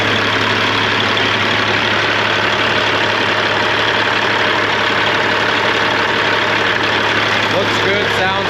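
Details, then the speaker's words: Cat 3406E in a 1998 Freightliner Classic after new injectors and cups, injectors set at 52.32, 68 psi oil pressure; a steady, even diesel idle drone with no knocks or misses, running clean. "everything went pretty good with this engine sounds good runs good"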